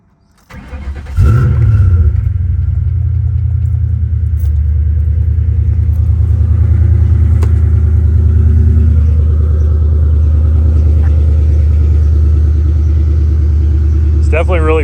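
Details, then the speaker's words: 2002 Ford Mustang GT V8, T56 six-speed, 83,000 miles: brief crank, then catches and settles into a steady, even idle with a deep burble and no knocks or misses; sounds pretty good, healthy. "It sounds pretty good."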